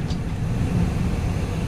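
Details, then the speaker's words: Chevy Venture wheelchair-accessible van, 85k miles: hard stop from fairly high speed at the bottom of a ramp, road rumble easing off with no squeal, grind, shudder or vibration. Normal braking. "no unusual noises or vibration so thank you for checking out our van"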